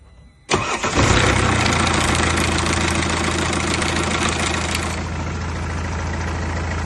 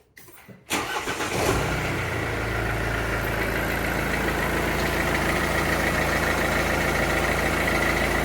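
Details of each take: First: Mercedes W204, OM651 diesel: loud clattery timing chain rattle on start-up, settling into a busy idle; the timing chain tensioner is replaced instead of the chain. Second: Mercedes W204 with OM651 diesel after timing chain tensioner replacement for chain rattle; quick crank, clean catch, then even diesel idle with no rattle at startup or afterward.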